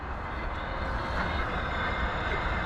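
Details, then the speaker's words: Fire sprinkler system being refilled after corroded heads were replaced, main valve opened about 12¾ turns with the flow switch pegged: steady low rushing hiss, no knocks or hammering, as water fills the piping while air bleeds out. A normal refill. "You hear that? So right now we're filling, but we're also bleeding air out."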